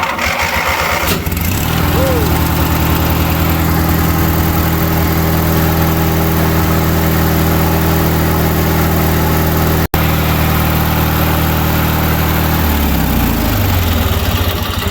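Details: 20 hp Briggs engine on a mower that sat about five to eight years with a frozen deck: cranks, catches quickly, settles into a steady even run with no misses, shuts down cleanly; healthy.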